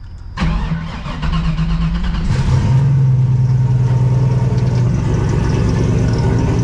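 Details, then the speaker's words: Engine started with hood off after oil catch can/breather work, crankcase no longer misting fumes: fires and idles with steady low droning whine over it; power steering pump groaning badly. "Oh yeah. You like my power steering pump? Sounds like it's about to implode on itself."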